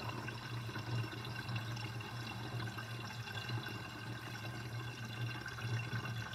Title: Interesting kitchen sinkdrain with sinkdrainbasket with gurgling sound (2)